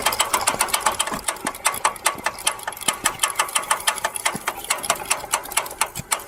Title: Piaggio Ciao clicking noise from rear wheel